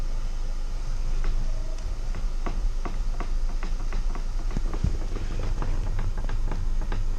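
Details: VW Passat B6 driving over bumps, steering rack suspected: sharp irregular knocks, several per second, over low road rumble; front-end knocking, cause not confirmed.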